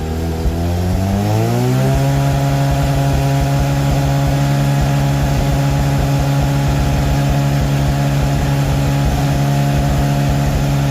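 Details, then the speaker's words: Mazda RX8 with 13B REW turbo swap, noise retest after failing an engineering inspection, 3-inch exhaust with original mufflers: revs climb quickly, then hold a steady, even high-rev drone with no misses or rattles; reads 90.2 against a 90 limit. "So we'll lower that down and we'll get an idea on how much noise we've taken out of the system."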